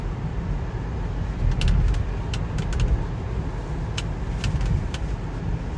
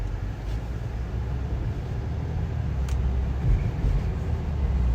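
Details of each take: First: 2017 BMW X3 driving in cold, snowy weather. Sharp, irregular interior creaks and ticks over road rumble, likely a loose panel or trim. Owner's quick fix was stuffing something in behind the glovebox flap. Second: 2017 BMW X3 cabin while driving in cold snowy weather, after stuffing a glove behind a flap to stop a trim squeak; steady low road rumble rising with speed, no squeaks or creaks. Normal quiet cabin.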